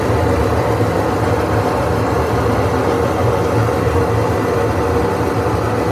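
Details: GE washer during spin: loud, continuous low roar like a jet or airplane, steady with no knocking; owner suspects broken drum bearings, not proven.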